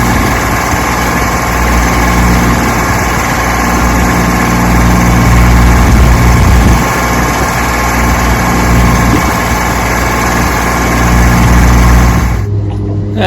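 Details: 1968 Johnson 6 HP two-stroke outboard on lake test run after mechanical restoration: steady, even buzz at a fast firing beat with no misses until it cuts out near the end; running healthy.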